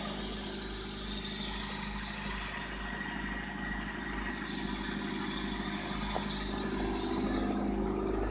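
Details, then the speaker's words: 1997 Honda Civic LX, cold start in snowy Ohio weather after sitting a few days: a quiet, even idle with a soft steady pulse and no knocks or ticks; the engine sounds healthy. "hold start man always know you can count on your honda"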